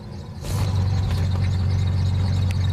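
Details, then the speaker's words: 1993 Ford Taurus running: loud, deep, steady tractor-like exhaust drone from a makeshift muffler; possible chirping from the tensioner or idler pulley. "yeah sounds like a tractor I like"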